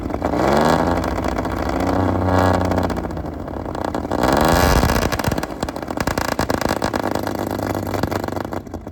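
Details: Fully restored 1935 Stancraft inboard six, the oldest known surviving Stancraft, in raw unedited footage; roars up and down through several throttle blips, pitch rising and falling cleanly with no knocks. Normal running.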